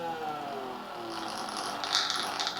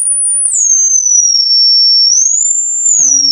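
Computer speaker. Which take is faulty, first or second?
first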